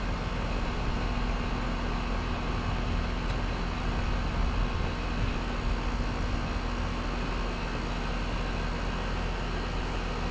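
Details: Split-system condenser after replacing restricted condenser coil, running while refrigerant is added for long line set; steady compressor and fan hum, no rattles or surges; head pressure 263 psi, 7° subcooling; normal running.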